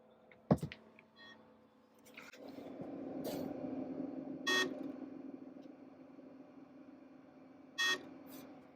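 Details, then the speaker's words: New-old-stock 1992 Macintosh IIvx, first power-up: three short electronic beeps at startup instead of the normal chime; suspected RAM error, hard drive also suspected. Cause not confirmed. "again the same three sounds those three beeps may be a ram error"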